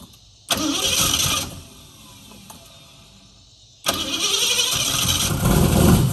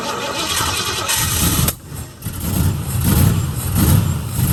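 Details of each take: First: 1969 Mustang that sat 15 years, head shaved for higher compression; after new starter, new carburetor, swapped coil and distributor, cranks briefly twice then catches and settles into a slightly lumpy idle; old distributor suspected bad. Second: 1969 Mustang that sat 15 years, with new starter, new carburetor and changed distributor: cranks, catches and stumbles with uneven, lumpy firing and surging loudness; runs rough, owner thinks he was dumping too much fuel, timing and carburetor uncertain.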